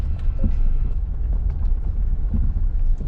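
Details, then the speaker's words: Car driving on a rough road after a new drive shaft was fitted: dull thumps at irregular moments over a low rumble each time it hits a bump; a loose part knocking, shop says it needs redoing. "Hear the knocking? Every time I hit a Yeah, that's going to need to be redone."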